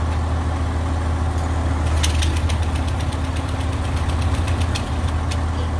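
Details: Old Ford tractor, battery charged after sitting (owner suspects the alternator isn't working), idles with a steady, even low rumble and no knocks or misses; it sounds healthy.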